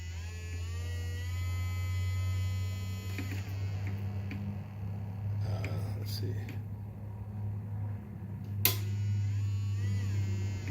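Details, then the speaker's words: Microwave oven transformer (MOT) in a sound-driven light modulation setup: steady deep mains-frequency drone with buzzy edge as it begins conducting; normal transformer hum under load. "if I read over here in term of holding up a little bit more and you can start to hear the MOT humming here so I'm getting some conduction at this"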